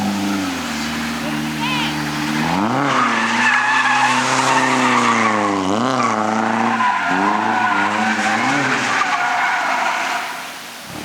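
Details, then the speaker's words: Drift car, in-car, mid-drift at full lock: engine note holds high then drops and surges repeatedly over tyre squeal; repeated power cut with half a tank of fuel, cause unknown. "i don't know what it is is it consistently doing it now yeah it's at half a tank like it's not too long gas that's weird"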